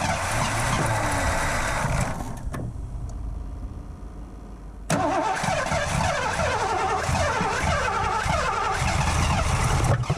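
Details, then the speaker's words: 1984 Ford LTD Crown Victoria with CFI, distributor refitted possibly off top dead center and suspected wrong firing order, fuel problem also unresolved: ragged uneven cranking that stops and retries without catching; rough cranking. "so if the firing order was wrong and I was trying to turn it on earlier um I'm sure some of you groaned because that's probably not good for an engine"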